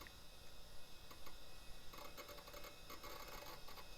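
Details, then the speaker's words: 1990s HP Vectra tower PC hard drive: a very quiet whir with occasional clusters of metallic ticks and one horrible tinging sound. The owner suspects the bearing is hitting friction; the drive is judged not healthy. "every once in a while it makes one horrible metal tinging sound like it sounds like the bearing's hitting some friction or something"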